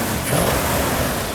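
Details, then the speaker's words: Freshly started Mopar V8 with a big Comp Cams "thumper" street cam and Edelbrock parts, idle set and fluids topped off: deep, choppy lumpy-cam note pulls up clean when blipped, with no knocks or ticks, a healthy big-cam V8 rev. "There you go. How's it sound? Oh, perfect. Absolutely beautiful. That is the cam I want to put in all our engines."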